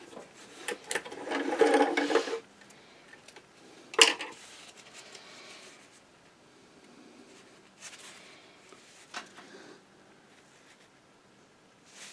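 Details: Singer 237 sewing machine after a clean, lube and adjust service and a bobbin tension correction, stitching: short, light bursts with an even, free-running chatter and no binding; it runs smoothly.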